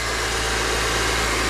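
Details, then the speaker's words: 2010 Honda CR-V after an engine swap, first start: starts right up into a smooth, even idle with a steady low drone and no knocks, ticks or misses. Normal idle, no leaks. "all right here we go started right up all right let's make sure we don't have any leaks sounds great honestly that sounds really good"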